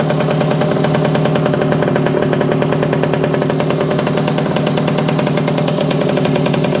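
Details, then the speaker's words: Circa 1965–67 Yamaha YJ2 (Campus/Riverside 60) 60cc two-stroke, oil-loaded and still clearing, small leak probably from a seal: fast crisp crackle at steady fast idle, firing evenly, no piston slap; normal running. "so it's got a lot of oil in it going to take a little time to clear all that out but it really does sound pretty good it's uh I just don't hear a piston slap at"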